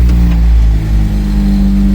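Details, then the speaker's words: Honda Del Sol with a freshly swapped B20 engine, first start: a fast, steady idle well above normal that then dips slightly, very loud, with a suspected exhaust leak; the idle is too high, with its cause still being checked. "oh yeah super loud that sounds like an exhaust leak for sure I don't know where idols really high let's find out why"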